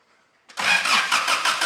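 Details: 1985 Daihatsu Rocky 2L petrol, first crank after months sitting, with brake cleaner sprayed in: brisk, even cranking at about five beats a second that never catches; a healthy crank, but it never fires.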